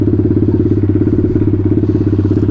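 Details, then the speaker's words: Taotao DB17 125 single after carburetor upgrade, running without choke: fast even idle about ten beats a second, too high; idle screw then turned down to a good idle. "see if I can start it without it seems like the idles a little bit high"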